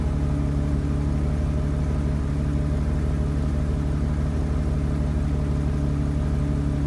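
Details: BMW 750 E32 with M70 engine: deep hum with a loping, irregular idle pulse; plugs, distributors, caps and one MAF already replaced; the owner suspects it runs rich, as the plugs were wet and sooty.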